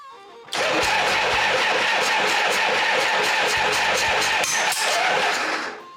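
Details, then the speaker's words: Harley-Davidson Shovelhead, first start after a full engine and transmission rebuild with a new coil and brand-new Dyna ignition, primed oil pump: loud, ragged popping and banging with no steady beat, a misfire from crossed spark plug wires. "So I tried to start it up, and it was popping and banging out of there. And it wasn't right, I'll tell you that for sure."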